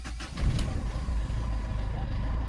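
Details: Mahindra Xylo diesel, hard start from air in the fuel line (fuse section checked OK; engine had started then died): heavy cranking rumble surges and barely catches, then runs rough and low, vibrating and hunting.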